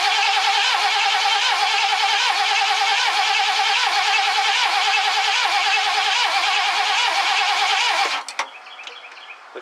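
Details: 1969 Ford Club Wagon barn-find van, fuel delivery in doubt: steady even starter cranking at about four turns per second that never fires or catches; a temporary fuel can is being considered.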